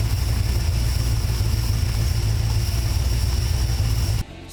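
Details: Engine on first startup after FiTech throttle-body EFI install, after prime shot and IAC throttle adjustment, earlier fired and died with no RPM signal: runs steadily with low smooth pulse several seconds then cuts off; normal running.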